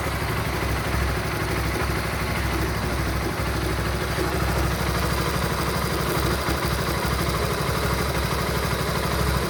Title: Weird engine sound Honda Supra GTR 150 please send help